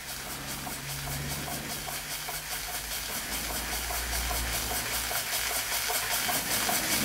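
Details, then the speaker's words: Weeden 38 model steam engine, at least 105 years old, previously leaking steam badly: soft even chuffing about two and a half beats a second with steady hiss, slow but smooth; running fine. "Not exactly the fastest steam engine in existence, but it is running. Bear in mind, this is at least 105 years old. And very quiet too."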